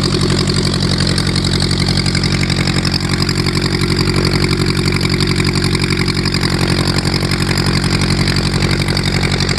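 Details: VW Type 1 air-cooled engine, first run after fitting new valve adjustment screws: loud, even chatter at a steady idle with a regular beat, no misses or extra knocks; normal.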